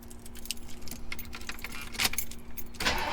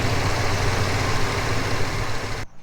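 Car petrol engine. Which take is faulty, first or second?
first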